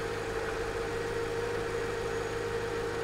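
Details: Copart Mercedes R230 brought back to running during rebuild, first run after battery hookup: smooth, even idle with a steady hum and no misses, knocks or rattles; normal idle.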